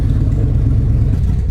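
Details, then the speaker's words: 2001 Toyota Land Cruiser 100 series 4.7L petrol V8, off road since 2016, one cylinder previously damaged: loud lumpy rumble with uneven beats and wandering revs, misfiring, warning lights on, smoke everywhere, sounds like it's choking. "okay so you can tell as you can hear it's all over the place the revs all all of the lights are on literally all of them there's just smoke coming from absolutely everywhere everywhere sounds like it's choking out"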